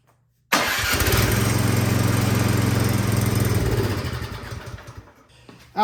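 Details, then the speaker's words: Troy-Bilt Storm 2410 snow blower, fuel sat in tank and carburetor: fires at once on full choke after priming, runs a few seconds at a steady chug, then slows, falters and dies; clogged carburetor, fixed by cleaning. "right well it starts it just doesn't stay running it's a very common issue"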